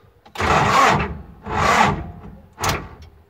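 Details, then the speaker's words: MTZ-80 tractor diesel hot after returning from the field, with a newly fitted starter: three separate one-second cranking bursts and it never catches; starts fine cold or after standing, but won't restart once hot and stalled, cause unknown. "Не заводиться по одній єдиній причині. Ось тільки що приїхав з поля. Вся проблема в тому, що трактор на холодну заводиться. Вранці заводиться, постоїть заводиться, а як тільки заглох, не заводиться."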